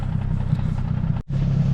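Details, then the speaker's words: Nissan 350Z drift build with new clutch: steady idle in neutral with faint irregular knock that stops when the clutch is pressed in; owner suspects throw-out bearing, not confirmed. "It does sound like there's a knock coming though. I don't understand that. I don't know what that is, but running fine, running good."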